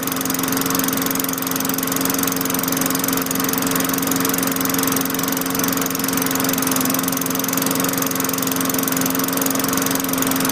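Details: 2003 Craftsman 22-inch mower with Tecumseh 4.5 HP engine, after fitting a new LEV100-115 carburetor, on its second start: small single-cylinder engine holds a steady, even buzz at constant speed with no surging or misses. Normal running.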